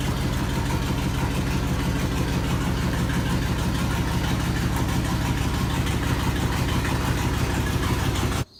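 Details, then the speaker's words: 1995 Dodge Ram 3500 with 360 gasoline V8 at idle, first time on the road in about two years. A clogging catalytic converter blew a hole in the exhaust pipe, causing rapid, even ticking in time with the idle: exhaust leak. "guys hear that annoying ass ticking noise? That means we gotta fix it."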